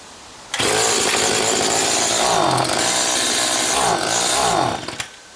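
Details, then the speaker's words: Stihl FS80 trimmer after a carburetor rebuild and ultrasonic cleaning, with the low-speed mixture screw cranked in. It buzzes at high speed but sags twice and won't come up in revs; low-speed mixture set wrong. "Well, it really doesn't want to come up now, so that's interesting."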